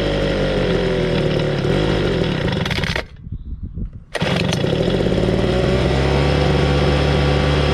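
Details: 2013 26cc two-stroke gas engine: a loud, even buzz holds steady revs with a brief dip off throttle before picking straight back up; runs clean, and the engine is pretty hot afterwards.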